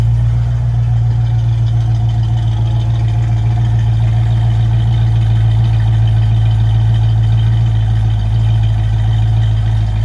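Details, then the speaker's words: 1964½ Ford Mustang, original D-code 289 V8 with 4-barrel carb and C4 automatic, true cold start at 66°F after pumping the pedal a couple of times: steady, even low V8 rumble without misses or knocks; healthy cold idle. "Nice idle sound for a cold start."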